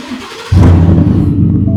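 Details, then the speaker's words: 2019 Ford F-150 5.0 V8, 87,000 miles, idling: a loud, uneven rumble and a dead skip in gear from a cylinder 4 misfire that persists after the owner replaced the spark plug and coil. "okay and if I put it in gear it is just a dead dead skip right"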